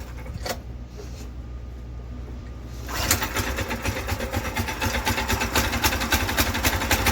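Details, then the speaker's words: Predator 212 single-cylinder engine powering a VW Baja Bug, started after chain sprocket spacing fix: quick, slightly uneven chatter; rough running, possibly not fully warmed up. "Not quite warmed up, I guess."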